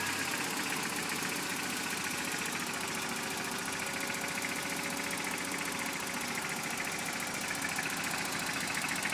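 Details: Freshly rebuilt 22RE four-cylinder idles with a light, fairly regular knock about three or four per second. The origin is unclear.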